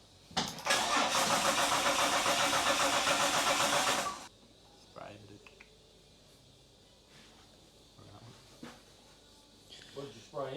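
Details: Holden Ecotec 3.8L V6 N/A burnout-car build, first start-up after final assembly: four seconds of steady, even cranking at roughly four turns a second, then stops without catching; cranks but won't fire. Brake cleaner sprayed in next.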